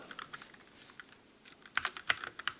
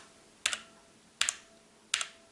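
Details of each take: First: Calibur keyboard with Otemu red switches in a typing comparison against the Motospeed CK62: soft, quick clacks in uneven bursts with no ringing or ping after keystrokes. Normal, clean, quiet typing. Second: Motospeed CK62 keyboard typing: three crisp keystrokes about 0.7 s apart, each with a bright metallic ring after the click from switch spring ping; quieter than blue switches.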